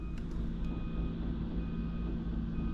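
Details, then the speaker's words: Snow loader clearing a supermarket parking lot at night in Winnipeg winter: steady high-pitched reversing alarm beeps repeating over a low diesel rumble; alarm working normally. "не знаю чи ви чуєте як він пищить але я наприклад не можу спати коли воно пищить"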